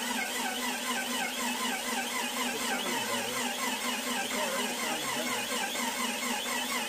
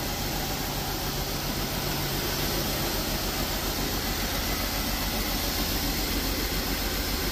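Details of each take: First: Freshly built Jeep 4.0L on its first cranking, fuel pump relay out, with one cylinder slightly low on compression. A rhythmic high-pitched squeak wavers with each slow turn; the starter bearing or the alternator on that side is suspected, not confirmed. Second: Jeep XJ freshly built 4.0L: steady idle with fairly even beat under heavy hiss, oil pressure now showing; idling better, still missing but far less; improved idle.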